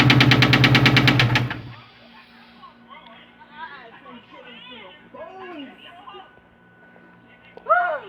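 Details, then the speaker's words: 2001 Ford Mustang GT V8: loud, rapid, regular knocking about three beats per second before the engine cuts out; owner calls it rod knock. "So yeah, sound like something knocking."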